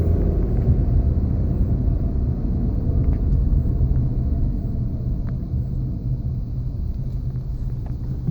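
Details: 1999 Honda Accord LX sedan cruising above 40 mph, deep steady droning rumble in the cabin; cause unknown.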